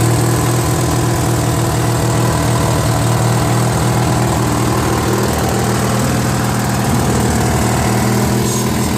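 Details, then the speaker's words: Free Briggs & Stratton 16 hp opposed-twin on a Murray garden tractor, valve unstuck, replacement carburetor: low uneven lumpy idle with slight hunting, running lean; carburetor missing its Welsh plug. "I figured out why it's not running so good. Apparently it's missing the Welsh plug, I think. Whatever goes in there, it was missing. So that's why it's not running right."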